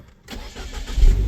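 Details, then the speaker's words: Van ("MiniVan 2.0") with an electronic fault that sometimes only clicks; after swapping relays, a short crank and the engine catches within a second into a steady low rumble, starting normally; owner suspects a faulty relay. "Hop, j'appuie le contact. Et là, ça fonctionne quoi."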